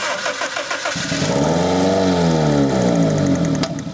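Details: 2001 Honda Civic 1.7L with start-run-stall: about a second of cranking, then it catches and revs unevenly before sagging toward a stall, like fuel starvation. Spark and fuel were confirmed; the timing belt was incorrectly installed, fixed by resetting it.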